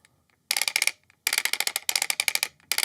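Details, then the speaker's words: Brand-new Bosch GWS 180-LI brushless cordless angle grinder, disc fitted, spindle turned by hand: short bursts of rapid, light, notchy clicking, as if the gearbox were faulty; it is normal cogging from the brushless motor's permanent magnets, nothing wrong. "can hear and feel that it sounds really notchy. It's almost like something is wrong inside the gearbox. Not to worry, there's nothing wrong with your machine."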